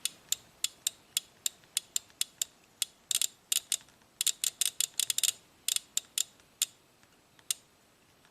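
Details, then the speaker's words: 1997 Ford F150 with intermittent loss of 4WD and code P1838, suspected transfer-case relay grounded on its control side at 0.11 A: sharp, irregular clicks that bunch up, then space out and stop. Relay suspected of dropping out intermittently. "when we ground it we hear the click and our voltage goes to zero now if we keep doing that and by the way the current is 0.11 amps let's keep doing that until this thing stops"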